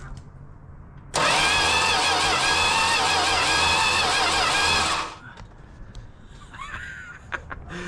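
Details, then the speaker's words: Dodge Demon six-cylinder with a newly installed starter, cranked at night with no plug wires fitted yet: a steady, strong starter whir of about four seconds with an even cranking rhythm and no grinding or clicking, so normal cranking. "Oh, wait. That sounded like full spinning. Let's check it out."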